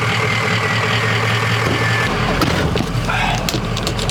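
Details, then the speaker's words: Ford Excursion 6.0L Powerstroke diesel just after installing 175/30 Warren performance injectors with custom Gearhead tune, previously misfiring, rough and down on power; deep rumble revs cleanly with no stumble or miss, now running smooth and strong. "So as y'all can hear, it runs pretty good, but definitely runs a lot better than when it came in here."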